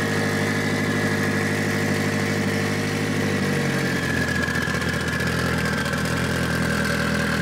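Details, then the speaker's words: Mitsubishi Evo 8 4G63T after engine rebuild, following throttle body adjustment: steady, even idle with smooth low hum, no hunting, hissing or misses; high idle fixed, normal idle. "And we thought we had an air leak somewhere, but ended up just needing to adjust the throttle body. So we are good. It sounds pretty good."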